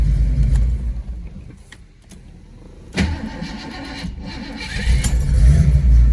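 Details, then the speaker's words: 1983 Mustang parts car with EFI swap, hot restart with the starter jumped at the solenoid. It cranks unevenly and stumbles with a kick before catching, then settles to a rough, lumpy idle. Timing was checked with the spout disconnected. The owner suspects timing isn't retarding at start-up; fuel pressure is untested. A rough hot start. "yeah see it's still doing that and you would you would listen to that and say oh it's timing's not right but it's right again with the spout disconnected"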